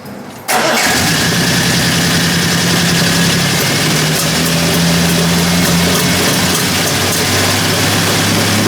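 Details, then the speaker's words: Triumph TR6 engine during restoration, injectors checked: fires immediately then holds a loud, steady, even idle with low drone; no big-end knock, though owner suspects timing still needs adjusting. "TR6 engine which has been to Helen Back not quite back from hell but um it has definitely been to Hell and is now alive again albeit it needs a little bit of Doctrine to uh to get it perfect the main thing is there are no big ends knocking or anything like that"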